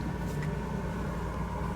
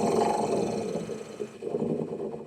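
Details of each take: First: 1965 Corvair (flood car) heater blower after replacement with new PM102 motor: smooth even rush of air and soft low motor drone, no squeal or rattle; nice and quiet, more airflow than before; normal operation. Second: 1965 Corvair (flood-damaged) heater blower motor, which screeches about half the time: a harsh, wavering screech swells over a low motor hum, then cuts off; airflow is weak. Motor to be replaced with a PM102.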